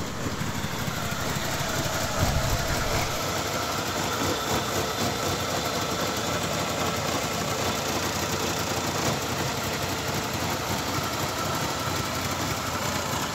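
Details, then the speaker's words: Toyota Camry 2AZ engine with a replacement used head/block fitted after the original seized; it starts but idles unevenly with irregular stumbles and light tapping; misfire and noise; rough idle with misfire. "সমস্যা হচ্ছে গাড়ি sound করতেছে এবং missing করতেছে"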